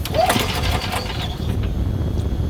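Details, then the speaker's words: Golf cart or small machine that won't start: a wire that seemed tight is broken further up; pulling it forward gives a faint click, then the small engine catches and runs on a steady low putter; the wire end must be cut and replaced. "But if you pull this forward, see it's clicking."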